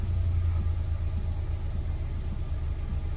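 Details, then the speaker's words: 2010 Hyundai i20 1.4 four-cylinder petrol engine after misfire repair and codes cleared: steady even low rumble idling smoothly on all four cylinders, no misfire, no engine code. "beautifully and smooth on four cylinders again no misfire no engine code"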